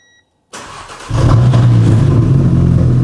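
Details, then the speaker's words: Audi A3 2.0 TDI 3-door converted to RS3 running gear with a sports downpipe, first start in park: brief crank, catches at once and settles into a deep, steady, even idle with no stumble or misfire; normal start and idle. "Straight away. Look at that. It didn't even hesitate. Started straight up."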